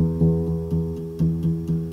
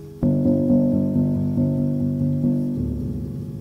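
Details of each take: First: Grand piano muffler install, adjusting the muffler rail throw: repeated notes each carry a faint sharp tick as the hammer clicks against the brass back rail when slid forward; rail is backed away to clear it. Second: Grand piano with a muffler rail being installed, after adjusting it so the felt sits clear of the brass back rail and still reaches the strike point: clear ringing notes in quick succession, with no click or buzz from rail contact.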